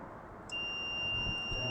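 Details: Refrigerator thermostat tested with a multimeter: silence, then a steady high-pitched continuity beep as the knob is rotated; the thermostat contacts close properly and the compressor starts.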